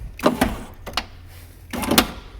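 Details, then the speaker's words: BMW E36 convertible power window: short whirring motor bursts with a crunchy edge, each cutting out quickly. The motor works and the glass stays in its tracks, but after white lithium grease it still rises about an inch and sticks. "So this is all it does, and then it stops. It just gets stuck right there, and I can't figure out what is going on."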